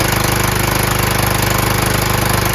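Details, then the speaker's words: John Deere LT160 with Kohler Command single-cylinder engine and new carburetor, gravity-fed tank bypassing the mechanical fuel pump, hot day; steady even thump, no popping or backfires, idle slightly off; smooth running. "so far so good seems like it runs fine uh as you can hear there's nothing that sounds like it's um popping or anything like that so maybe that's it"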